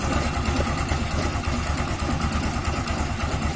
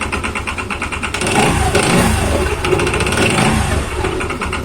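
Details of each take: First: Yamaha Xeon scooter at idle after fixing rough CVT noise caused by an incorrect one-way starter clutch: steady, even idle with no rattle from the transmission side; normal, smooth. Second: Yamaha Xeon scooter, after the one-way starter clutch was replaced: a steady idle with a coarse, rattly roughness pulsing about three times a second from the CVT side. Rough noise from the CVT; the replacement is suspected, not confirmed.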